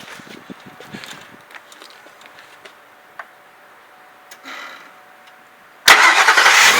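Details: 2001 Ford F-150 4x4, 4.6L, just after starter motor replacement and battery reconnection: quiet, then engine catches at once and settles into a steady, even roar, no grinding or dragging crank; healthy start.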